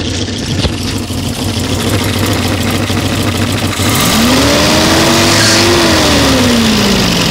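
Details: 1970 Opel GT, replacement engine from 2000 with 2,700 miles, recent 7-blade fan, aluminium radiator, rebuilt 28 A alternator and new water pump: loud roar at 2,500–3,000 rpm, screech from 3,500 rpm, whir louder when decelerating. Cause unknown.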